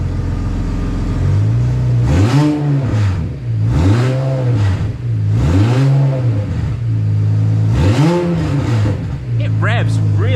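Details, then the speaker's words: BMW N54 335i single-turbo conversion, first start on stands: raspy harsh throttle blips, turbo spinning, exhaust leaking at the V-band where the turbo isn't sealed to the manifold; also a coolant leak. "That sounds angry. That sounds really angry. Okay, so we have got a major problem. The turbo is not sealed onto the manifold."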